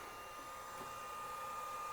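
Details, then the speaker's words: Matrix T5 treadmill motor controller after powering down: soft, even mid-pitched whir with no rattle or scrape from the fan inside the motor controller; cooling fan running normally. "I'm sure you can hear that fan going. There's actually a fan inside of this motor controller too. There's a fan in the motor controller."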